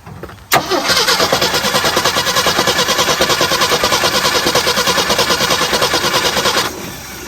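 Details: 1975 Jeep CJ5 not run in over 20 years: steady rhythmic cranking, about three beats a second, that never catches. Turns over but won't start; possibly flooded or a coil problem (suspected, not confirmed).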